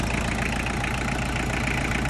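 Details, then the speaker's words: Diesel tractor pulled from pasture, non-starting with dead battery, now running after injectors were tightened and intake hose refitted; steady, even idle with smooth low rumble, no knocks or misses, much quieter; fuel filter still needed. Normal idle. "Much quieter already."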